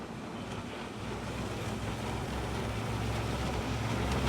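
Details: Nissan CDA20 90hp marine inboard with Z-drive sterndrive on a newly assembled 6.30m boat, first launch test under way; propeller probably fouled by weeds, drive then raised; steady low drone under water and wind rush, even as speed builds, healthy.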